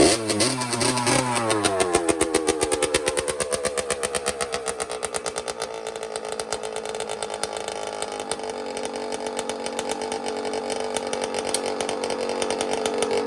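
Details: 1982 Suzuki RM60 two-stroke dirt bike after carburetor cleaning and fuel fix, previously only ran on choke: quick start, sharp blips, then crisp steady idle without choke; normal running.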